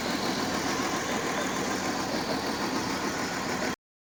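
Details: Mercedes W211 after a no-crank, no-start fix: steady, even idle with a smooth hum and no knocks, misses or hunting; the engine is running normally.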